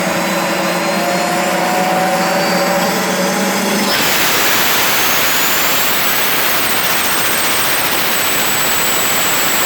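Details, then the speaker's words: Turbo barrel on a cage buggy heating wood for pyrolysis gas: steady loud roar with a high turbo whistle that climbs, then sags and won't hold; cause of boost loss unknown. "I can't get this thing to stay on boost for some fucking reason. It's being a bitch. I don't know what the problem is."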